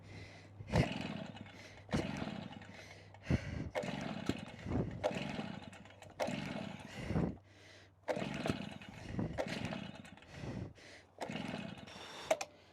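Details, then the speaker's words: Stihl BR380 two-stroke backpack blower, about 14 years old and hard to start for years; repeated pull-cord strokes, each a short rasp with a brief cough that never catches. "I cannot get over it, guys, how hard that thing is to start. Holy moly."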